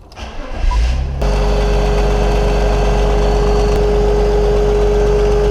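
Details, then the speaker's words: 2003 BMW X5 3.0 M54 engine at rough idle: uneven rattly chatter over a steady whine from the worn DISA valve, whose first rebuild failed prematurely. "that there is the cause of the death rattle that comes from your D valve when it gets worn out"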